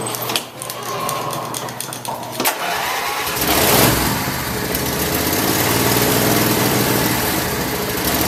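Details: Craftsman lawn tractor after carburetor repair, with the battery secured and connected and a full gas tank, started to warm up: after handling noise the engine catches and settles into a steady, even run with no knocks or misses, running properly.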